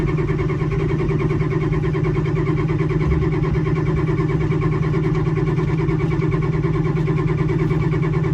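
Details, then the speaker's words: 1987 Ford F-350, sat 8 months, battery charged about an hour (about 9 volts), no ether yet. Slow, steady cranking at about three turns a second with no firing: engine turns but won't light. "Oh, something's happening. That was close. No ether."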